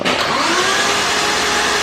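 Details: Nissan RB32 engine swap, first crank on a newly made wire harness with spark plugs out: even, fast starter whir with no firing, free steady crank; oil pressure builds to about 25 psi cranking before cam/crank sync and first start.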